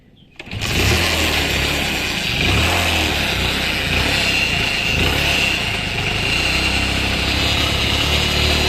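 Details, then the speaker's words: Motorcycle engine after repair of a noise: catches and settles into steady busy run with only light clatter; the earlier bad noise is gone, remaining sound is from the magnet (flywheel) side; healthy now. "पहले जो आवाज थी वो आवाज खत्म हो गई ये वाली आवाज में देखिए ऐसी बातें थी ठीक है अब वो वाली बात खत्म हो चुकी है अब इसका जो आवाज है वो मैग्नेट के साइड की आवाज है"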